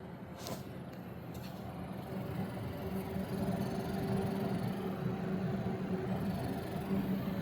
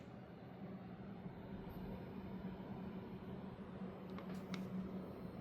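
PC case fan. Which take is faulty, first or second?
first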